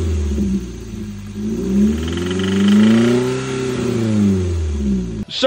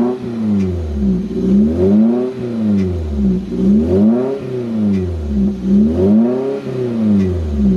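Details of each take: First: Toyota MR2 Spyder 1ZZ-FE, still runs and drives fine: a dull knock follows the revs as they climb and fall; suspected worn rod bearings, some metal shavings found in the oil filter, not confirmed. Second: Toyota MR2 Spyder 1ZZ-FE after in-car rod bearing replacement, not fully warmed up: revs climb and fall smoothly about every two seconds, then a steady rise, no knock or tapping; healthy.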